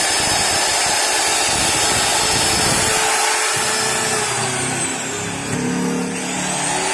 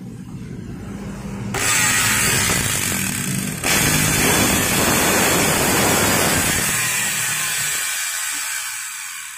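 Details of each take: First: Modern M2600 circular saw bought broken, after new carbon brushes and armature: steady high-pitched motor whir at constant speed, smooth with no grinding or sparking crackle; free-running normally. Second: Modern M2600 circular saw after new carbon brushes: the motor spins up with a harsh, crackling buzz instead of a clean whine, with large sparking visible at the rear. Damaged armature, to be replaced.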